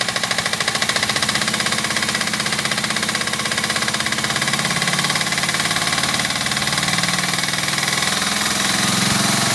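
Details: Suzuki GS500F twin-cylinder motorcycle at idle: a fast, sharp metallic knock over its steady beat that stops above 2,000 rpm.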